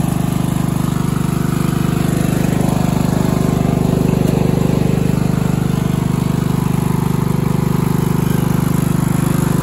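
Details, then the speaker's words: Craftsman LT1000 14.5 42-inch riding mower after a new spark plug, cleaned air filter, new fuel line, new blades and new battery; it previously ran very poorly. Now a smooth, even single-cylinder beat with no misses, surging or knocks: normal running. "He also got a new battery for it. It starts and runs amazingly now."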